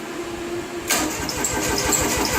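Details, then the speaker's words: Jacobsen Turfcat diesel mower sitting two years, after insufficient glow-plug heating: starter churns in quick steady pulses but never fires; cranks but won't start, more glow-plug time needed (suspected). "Oh, not enough glow plugs. More glow plugs."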